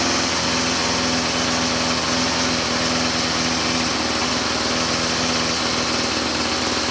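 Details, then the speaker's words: String trimmer two-stroke after carburetor idle-mixture adjustment with single-D tool and idle speed screw raised; carb has no high-speed adjustment: high buzzy idle holds perfectly steady with no surging or dying, clean even idle. "All right. I'll say that's dialed in. That's the idle side that we were adjusting, and there's no high side."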